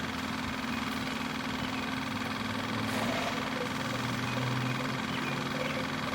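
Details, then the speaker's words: Kawasaki KLF 185 ATV electric fuel pump bench-run on a weak battery with charger, flushing gunk into a glass jar after tank cleaning; steady low hum with even flow rush, no stutter or rattle; fuel runs clear, pump normal. "That keep coming out of there pretty clear, which is good. That's exactly what I want, just to get the gunk out of the actual pump."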